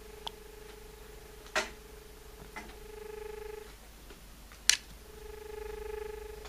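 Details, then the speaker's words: Australian landline dial tone with the handset held right in front of the microphone: a steady low humming tone with a couple of handset clicks, normal; it lasts only 15 seconds before a beep-beep dropout signal. "Uh what I'll do now is I'll um I'll let you listen to dial tone. It only stays on for 15 seconds and then and then you get a beep beep beep dropped out signal."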